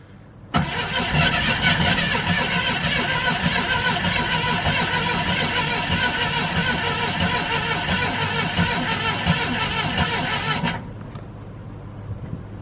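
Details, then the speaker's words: Jeep Cherokee Pioneer, unregistered since 1993, cold start after about 20 years, keyless and hot-wired to the ignition coil, boosted from another Jeep, on 20-year-old gasoline, choke sticking: ten seconds of steady cranking that never catches, likely flooded. "I think we flooded it. Okay. Now what? It has made itself known that it does not want to run on 20-year-old gasoline."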